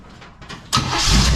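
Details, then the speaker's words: 1935 Oldsmobile sat for many years, rewired, distributor now plugged in: silence, a few weak cranks, then engine catches and settles into a strong, even, loud run; normal first start. "yes okay so it fired right up so we have a running engine"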